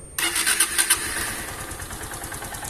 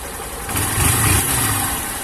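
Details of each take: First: Honda Titan 160 motorcycle engine with noise: starter churns, engine catches and settles into a steady idle with a dry mechanical clatter; carbon buildup from neglected oil changes, engine to be torn down. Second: Honda Titan 160 Start motorcycle after full engine rebuild (engine had failed from lack of oil changes, previously noisy): single cylinder catches and settles into a steady, even idle with a light throttle blip, no knocks; normal start and idle.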